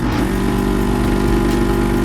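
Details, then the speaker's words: Hakko desoldering gun during keyboard repair: loud, low droning buzz with a labored, struggling, chugging undertone; pump clogged with solder. "our little guy's getting clogged here so i'm gonna show you how we uh remedy that you can hear the uh the sound on the uh what you call it sounds a little weird on the device itself if you listen"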